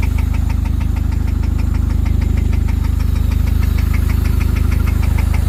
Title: Rod Knock in a 99 Civic